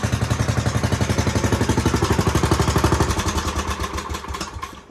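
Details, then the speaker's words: 1970s Commuter T-380 three-wheeler revived from auction, run after the headlight wiring repair to test the stator: strong, even putt-putt firing with a steady beat that fades as it winds down, no misses or knocking, running fine. "So I'm going to try and repair the wiring for the light here, and we'll fire it up and see if we actually have a working light and a working stator generator."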